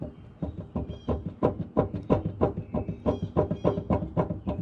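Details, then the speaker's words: Mower deck with belt disconnected and blade rocked by hand: a dull, hollow knock about three times a second, with nearly a quarter inch of up-down blade-tip play. The middle front spindle bearings are going bad. "middle front spindle bearings are going bad i actually noticed it last week when i was doing my maintenance"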